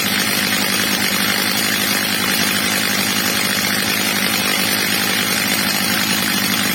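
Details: Old, well-worn Stihl MS230 chainsaw after replacement carburetor and clutch springs, carburetor screw leaned slightly, max revs set a bit under about 14,000 rpm: constant high-pitched scream at full revs, steady, no surging or bogging; carburetor set right.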